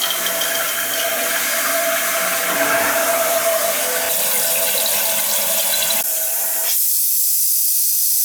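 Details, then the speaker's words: Summer cottage water supply turned back on: steady, even rush of water from the tap with no sputtering, air spits or banging; supply flowing normally, a good sign. "water running so that's a good sign"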